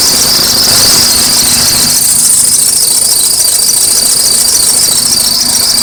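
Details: Acura RSX at cold start: shrill, cricket-like chirping several times a second from under the hood, apparently from the belts by the power steering reservoir, over a quiet engine; belts looked alright; belt squeal suspected, not confirmed.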